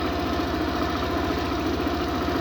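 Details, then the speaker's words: Suzuki Burgman scooter after ISC calibration (previously wouldn't start or idle without throttle) on diagnostic tool: quick, even low putter holding steady at about 1600–1800 rpm, within the 1700 ± 100 spec; normal stable idle. "Okay so yan so naito Yung kanyang engine speed mapansin niyo Naglalaro na lang siya sa 16 17 yan h 18 y so 16 17 kalimitan"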